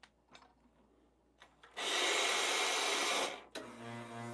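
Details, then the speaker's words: Lelit Bianca espresso machine: quiet clicks, long hot-water hiss, then droning hum with a whine while the boiler refills; pipe contact with casing ruled out, owner suspects the rotary pump. "So, the when noise happens when especially the water is refilling, right? To the boiler."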